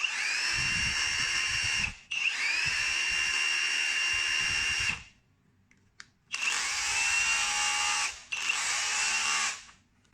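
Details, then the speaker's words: Cordless rotary hammer after repair of a motor whose rotor rubbed the stator from seized bearings; smooth, clean high motor whine in even bursts with no rubbing or scraping, tested in hammer and chisel modes, normal running. "现在听这个声音呢，也没有刚开始的那种声音了，那种滑膛的声音了，声音非常清"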